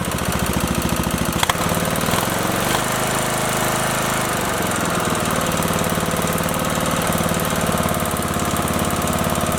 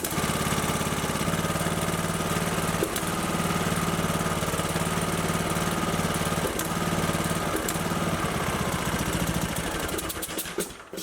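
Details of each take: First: Briggs & Stratton 19.5 OHV single after head gasket replacement and valve guide fix: rough catch then steady, even chuffing run, nothing knocking. Smoke expected from oil spilled on the exhaust; owner unsure camshaft is good. Normal running after repair. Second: Briggs & Stratton 19.5 hp OHV engine on a Craftsman LT2000 mower: uneven chug at fast idle with a loose, lumpy beat, then dies; hard starting, low compression, oil-soaked plug and oil-coated engine from crankcase pressure point to a blown head gasket.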